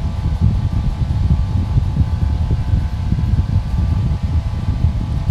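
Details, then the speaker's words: 1960s metal electric fan, no on-off switch, low/medium/high settings, running a few seconds after plug-in: steady low whooshing drone with faint even motor hum, no ticking or scraping; running smoothly at full speed. "So you can see that it took it a few seconds to get up to speed, and at this point it is at full speed."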